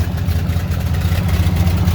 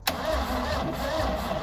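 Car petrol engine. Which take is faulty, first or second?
second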